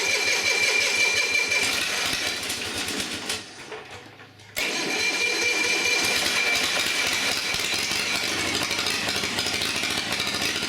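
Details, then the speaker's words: Long-stored Onan diesel generator, oil-pressure shutdown relay suspected of not closing: cranks, catches and runs rough and lumpy around three pulses a second; owner unsure it's firing on both cylinders. "I'm not sure if it's running on both cylinders either"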